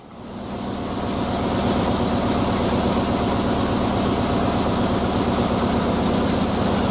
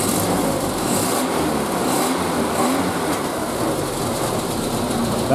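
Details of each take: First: Triumph Spitfire idling, still missing on cylinder two right after fitting a brand-new distributor, which did not fix it; loping idle with a regular stumble: cylinder misfire. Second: Triumph Spitfire, warm, no choke, after month-long cylinder-two misfire hunt; throttle blip gives even, smooth note with no stumbles or pops, firing on all four cylinders, though timing and mixture still need tuning.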